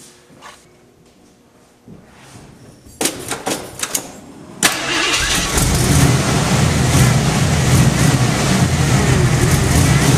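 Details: Jeep first start after water pump replacement and reassembly of power steering pump, fuel pump, AC compressor, fan and belts: a few cranks, catches and settles into steady even idle, no knocks or squeals; a leak was noticed afterwards.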